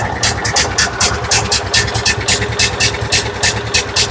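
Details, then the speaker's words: John Deere riding mower, Kohler Command engine, with a cheap aftermarket carburetor just fitted: lumpy, uneven running with chuffing pulses about twice a second; the carburetor is dumping gas, running rich and flooding. "Getting way too much fuel. Oh yeah. Well, let's pull a new one off, see what's wrong with it. This is dumping gas."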